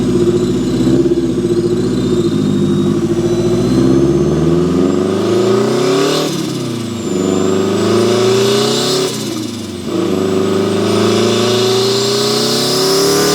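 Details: Turbo Mazda Miata, built 1.6L with new head gasket, T51R-type turbo on unequal-length manifold, about 15 psi boost, est. high-200 hp, driving: rough lumpy note rising smoothly through gears with faint turbo whistle, no misfire; runs great.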